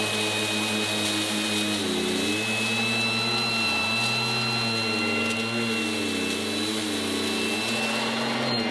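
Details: 1980s mains-powered Goblin Roto handheld vacuum cleaner, rotating agitator brush on the floor: loud, high motor whine over a low hum that wavers as the brush meets the floor; very noisy but running properly.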